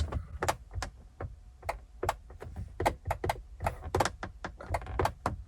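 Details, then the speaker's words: 1998 Corvette C5 under restoration, driver's side: door locks work and window switches click sharply, so power reaches the door and switch, but there is no motor whir and the window stays still. Suspected points in the window motor, or the motor needs a jump start. "So there is power getting to the switch, and it's the same with this switch here."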